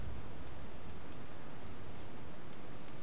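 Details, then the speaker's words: Long wire antenna on a shop roof during approaching thunderstorm weather: faint, sharp irregular ticks, roughly two a second, over a steady hiss as sparks jump from the antenna wire to wall metal. Static spark discharge. "I just looked and I noticed there's a little spark to keep jumping over here from my antenna wire to that piece of metal on the wall and that means the air is charged"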